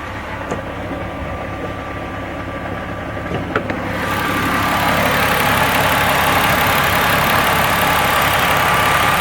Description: Loud engine knocking